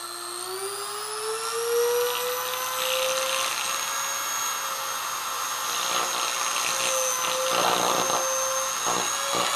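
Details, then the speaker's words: Hoover vacuum cleaner universal motor on an electric drag-race stand: the whine climbs as it races away, then rough crackling bursts as every commutator bar comes out; the rev counter registered only about 35,000, likely losing contact. "whoa it just all the comm bars every single one of them just came out of there holy crap now did you hear that thing race and take off there right at the end"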